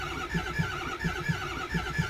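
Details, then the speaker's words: 2006 Ford 6.0 Power Stroke diesel, crank no start: steady starter chugging about three compression beats a second with no firing, injection control pressure not building after briefly nearly firing at 1500 PSI; new IPR and turbo speed sensor pigtails fitted. "man it's really slow to build pressure [Music] no it's not building any pressure that's really scary"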